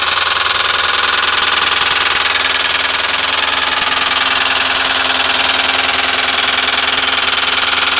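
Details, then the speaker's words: 1996 Ford Crown Victoria with 170,000 miles, engine runs fine: harsh metallic rattle-knock two or three times a second at idle, traced by stethoscope to the bell housing. Timing and valves were checked OK. Owner is nearly sure it is a cracked flex plate. "Engine runs just fine. Just a heck of a racket. Put stethoscope on the engine everywhere. Most of the noise was coming from the bell housing."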